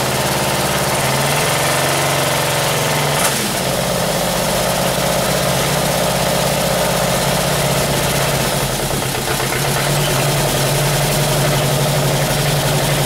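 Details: 1978 Camaro 350 V8 on stand, warmed to 190 degrees with exhaust fitted: fast light rattling over an uneven open-exhaust idle; lifters clattering at the top end, valves still to be reset.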